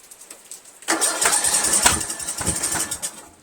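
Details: 1999 Craftsman LT1000 lawn tractor, Briggs 17.5HP, cracked flywheel, valves adjusted, spark good, 130psi compression; choke on and off, uneven cranking bursts with only a couple weak pops, no catch; cranks but will not start, cause unknown.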